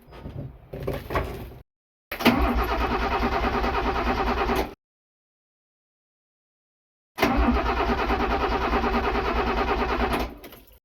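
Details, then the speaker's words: Abandoned Eagle SS with Ford Cologne V6 unrun for decades, bores oiled with ATF, plugs refitted, cranking on the key: two bursts of steady cranking with uneven compression rhythm; turns freely, not seized, doesn't fire. "Well, this is awesome. She turns over. But turning over is a long way from starting."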